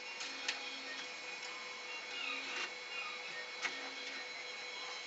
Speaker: So when the print head hits about right here, that's when it made the sound.